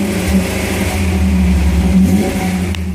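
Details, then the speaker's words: 1978 Toyota Hilux with swapped-in 22R engine revving, deep rumble with a buzzy rattle on top; loose exhaust pipe vibrating, currently held up with wire or rope until the right pipe is fitted. "yeah you can hear a lot of things vibrate and I actually got some wire hold one of the pipes of rope right now to get the right pipe on it"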